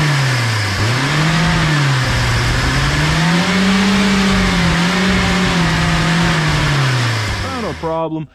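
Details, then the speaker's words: 1979 Datsun sitting 30 years, with an HEI distributor and the fuel pump hooked up: it races at a high idle, revs hunting up and down before cutting out. Caused by a huge vacuum leak at a broken fitting. "right here is our giant vacuum leak we're just gonna shove a stick in there and that should fix our vacuum problem and it won't rev to 7 billion rpm"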